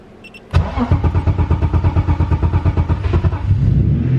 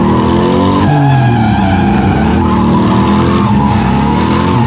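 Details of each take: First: BMW E36 with M50B30 turbo engine, first start after heavy-duty clutch install and coil pack refit, oil pressure built first: starter cranks evenly about three seconds, then catches cleanly into a steady idle; normal. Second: BMW E36 M50B30 turbo drifting: loud engine howl with tire squeal, the note stumbling and breaking up on throttle after four or five laps. Misfire under load; owner suspects melted wiring loom shorting when warm, or an ECU setting.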